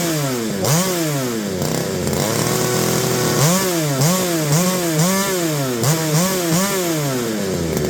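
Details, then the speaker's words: McCulloch BP1 balance-piston two-stroke chainsaw after carb kit rebuild, with a non-working primer: crisp revving up and back down with no stumbling; runs healthy, like a modern saw. "sounds pretty good sounds like a modern day chainsaw"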